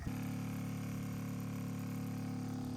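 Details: Pump wired to the truck battery filling an RV water tank with the vent plug left in: a steady low electric hum, no surging. The blocked vent lets suction pull the tank in, risking implosion; releasing the plug lets the tank recover.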